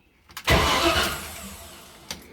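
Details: 1980 GMC C35 truck revived after sitting since 2007, after wiggling a suspected loose ground wire: a few clicks, then a short solid burst as the engine turns over and catches; starter working normally again.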